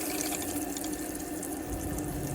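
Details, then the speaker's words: 2002 IH motorhome water pump kicks in with the cold tap open: steady mid-pitched pump buzz under splashing water, no surging or cycling; cold side pressurises normally. "so the pump's just kicked in at the moment I'm over to the cold side so now it's telling me that the cold side of the system is nice and pressurized"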